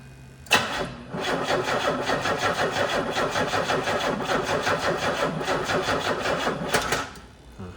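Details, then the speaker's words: 1990 Pontiac 6000 SE AWD, sat over 20 years: starter spins the engine evenly for about six seconds but it never fires; no fuel pressure building later, possibly out of fuel; crank, no start. "All right. Will it start? Survey says no."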